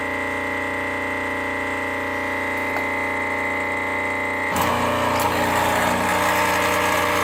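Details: Rocket Premium Plus pump running with a steady buzzing hum that turns harsher and louder partway through; abnormally noisy, cause not yet pinned down.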